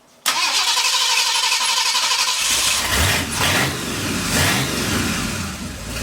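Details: 1959 Ford F100 special delivery V8, first run after front-end fixes and idle turned down from about 1,400 with vacuum advance fully advanced, not yet warm; catches and runs rough with an uneven, stumbling beat under loud exhaust: misfire from two plug wires barely seated.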